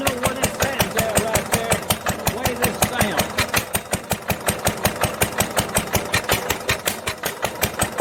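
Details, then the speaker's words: 1946 International LBBR McCormick-Deering 3-5 hp hopper-cooled single-cylinder engine with its original muffler, before a glasspack is fitted. Slow, even firing about 160 a minute; each bang is sharp and rattly through the exhaust. Poor-sounding muffler. "But it's this muffler right here is really, it's not a good sounding muffler."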